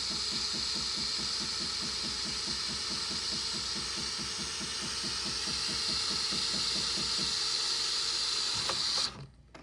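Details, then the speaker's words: Jura Z6 after replacing the worn milk foam nozzle, milk foam function set to 14 seconds: steady airy hiss over an even, rapid pump pulse, then a clean cut-off, giving perfect thick foam instead of sputtering. "And look at that. That's a perfect foamy milk. And all we've done is replace the milk foam nozzle."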